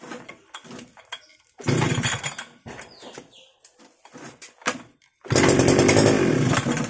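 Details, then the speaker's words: Two-stroke Ingco grass trimmer that would not start, with a little fuel and oil primed into the cylinder; two short bursts of rough running that die away; carburetor is clogged, with crystals found in the fuel hose, so it needs cleaning. "yan narinig niyo umandar talagang karburador yung sira niya So yan linisan na natin"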